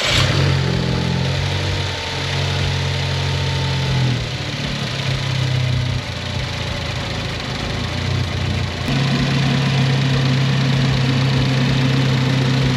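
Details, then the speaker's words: Ford Focus ST fully reassembled after being brought back from a disassembled state: steady idle with a couple of clean blips rising and falling back, smooth and even, no misfire or knock; normal idle, no codes. "The next owner's gonna be very pleased with this car. Runs great, no codes, no misfires, all the lights work."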